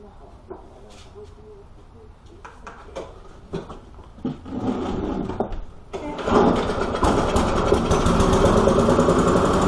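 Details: Walk-behind lawn mower after priming and carburetor cleaning with methyl hydrate: a few sputtering pulls and coughs, then catches and settles into steady even buzzing run, firing cleanly; normal running.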